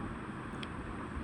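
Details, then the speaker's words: 180–200 W sewing machine motor after repairing a fault in its lead wire and refitting carbon brushes, run on its own: steady, even whir with smooth hum, no catches or sparking crackle; running normally. "तो यह देखो motor चल रही है। सही है? इसकी lead में फॉल्ट था।"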